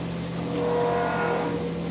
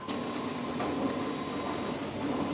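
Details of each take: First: CNC mill finishing 2" UNC holes in plate steel with a 3/4 in four-flute end mill: steady cutting roar with a thin high ringing tone coming and going mid-pass; slight end mill chatter, acceptable. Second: CNC mill finishing 2-inch UNC holes in plate steel with a 3/4 in four-flute end mill: steady, even cutting tone with only slight remaining chatter. Smooth milling cut.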